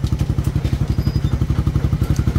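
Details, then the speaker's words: Single-cylinder motorcycle engine reassembled after a screw got inside it: crisp, even thumps about twelve a second with no missed beats or clatter; now quiet and running steadily. "Na, hindi mo ko tinawag, buo na pala. Tahimik naman ah."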